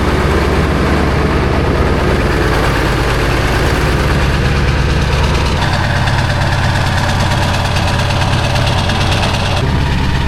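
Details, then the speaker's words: Diesel daily driver with unchecked glow plugs, cold start at 18°F: a deep, uneven diesel clatter with a loping, unsteady idle. Rough cold idle; the owner guesses about half the glow plugs work, unconfirmed. "I'd say she still has half of her globe. plugs at least."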